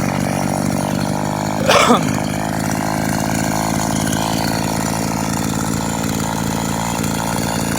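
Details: Vintage Echo SRM-200BE two-stroke string trimmer, warm after use, carburetor jets recently adjusted, used throttle cable fitted: steady buzzing note at even pitch after one brief rough flare; runs smoothly, seems well tuned, normal running.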